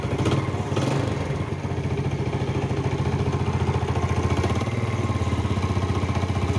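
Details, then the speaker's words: Yamaha Jupiter Z / Vega R single, long without oil changes, idling after parts replaced: steady fast knocking clatter in time with the engine, only slightly changed; suspected worn connecting rod (big-end) and crankshaft bearings. "Oke teman-teman jadi suaranya eh cuman ada perubahan sedikit ya tem-an ya nah jadi prediksi saya ini Ini udah Udah Ee Insyaallah ini ya ini kelahar setang sehar kelahar askraknya ini sudah kemakan teman-teman"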